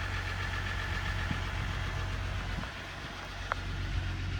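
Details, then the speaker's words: Dodge 1500 diesel pickup listed with mechanical damage at auction: it started right up into a steady, even diesel clatter with no misses or knocks, a slight whining noted, and oil pressure mid-gauge; normal diesel idle. "started right up I don't really know how these are supposed to sound to me that sounds like a diesel normal diesel"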